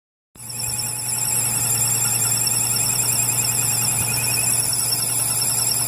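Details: 5.7 Hemi engine running with a constant, shrill, warbling high-pitched squeal over a steady low engine hum that never lets up; source unclear.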